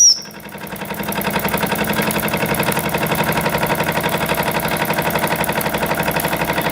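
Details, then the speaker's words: Jensen 76 model steam engine on dry fuel after rebuild: quick, even puffing at about four beats a second, steady once settled, with no leaks. The run lasts much longer than before the tune-up. "So then you just let it puff away for So as you can tell from the clip earlier, this is lasting a lot longer than it did before."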